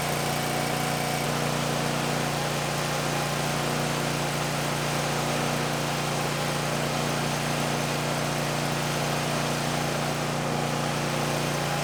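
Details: 2019 Bad Boy Maverick mower with a Kohler 747 engine, near 100 hours, just serviced with new oil, oil filter, air filter, fuel filter and spark plugs; steady even idle hum with a smooth firing beat and no misses or knocks over rain on a tin roof, running healthy.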